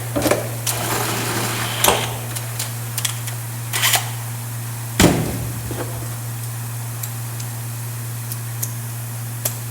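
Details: New compressor ticking over unloaded after reaching about 135 psi, in a workshop during a Massey Ferguson TEA20 tractor overhaul; constant low hum with no loading surges, only workshop clatter on top; normal unloaded idle.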